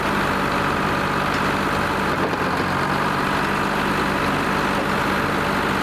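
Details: Lima 34 shovel at its first start-up after repairs, before greasing and digging: steady, even diesel idle with a smooth low rumble and no knocks, misses or rattles; the engine sounds healthy.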